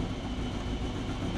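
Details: Turbo Subaru Forester on Haltech Elite 550 with new 980cc injectors and new O2 sensor, idle control just enabled, not yet up to temperature, lower radiator hose leaking; low, steady, even rumble with no misses or hunting: normal idle.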